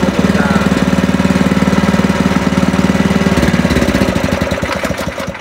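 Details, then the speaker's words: 17-year-old spice/meat grinding machine after replacing its worn grinding stone, previously very noisy from the bearing, pulley running true: steady, even putter at idle with regular beat and no knocks or misses; normal smooth running. "k tu halus suaranya halus Padahal kalau dipikir-pikir mesin ini Sudah 17 tahun"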